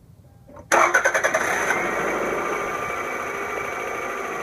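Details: 2000 Toyota Camry four-cylinder, harmonic balancer job (first noticed as a faint squeal with the AC on): quick crank, clean catch, then an even, steady idle with no knocks or wobble; engine running normally.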